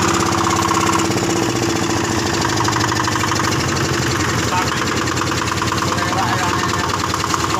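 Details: Yanmar single-cylinder diesel driving a cement mixer, after servicing, started on the starter: catches and settles into an even, steady thump with no misses or knocks; smooth normal idle.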